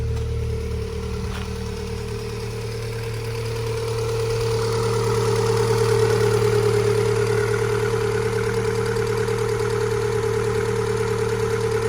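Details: MG ZS 1.6 petrol, jump-started after sitting several months: steady, even idle with a smooth low hum and constant mid tone, no knocks or misses; engine idling healthily.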